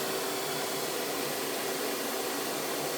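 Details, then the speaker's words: Hoover PowerMax Supreme 850 S3609 canister vacuum, 1990s, non-original hose, motor revved from low to high speed: smooth, steady high-pitched rushing whine, no rattles, grinding or pitch wobble; surprisingly quiet for its age; normal running at high speed. "So now let's go ahead and rev this thing up. This surprisingly runs pretty quiet for how old of a unit this is."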